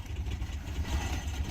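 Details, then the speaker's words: Natural-gas-converted Mercedes 190E 2.0 running on natural gas: low, uneven idle surging and sagging, close to stalling, worse than usual; it died on throttle. Petrol idle is 700 rpm; owner adjusts idle screw on gas system. "it doesn't want to idle either this is worse than usual"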